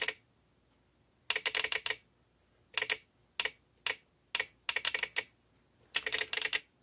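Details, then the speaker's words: VXT-24 boiler water feeder removed after a steam boiler flooded, failure simulated with water: irregular bursts of rapid sharp relay clicks. A weeping leak dripped onto the manual feed switch and shorted it, powering the feed valve. Relay chatter from a shorted switch. "that's sending power to these leads here which is then causing the valve to open up and um flood the boiler"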